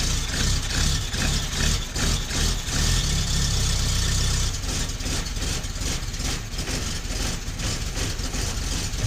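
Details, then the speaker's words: 1972 Fiat 850 Sport Spider with a 903cc (0.9 L) engine, after fitting a Fiat 127 alternator; idle is low and uneven and sags as if about to die, with idle speed set through timing too low. "is you can hear and see it wanting to die means it's too much means the engine is too much the idle's too low because you set your idle speed with your timing"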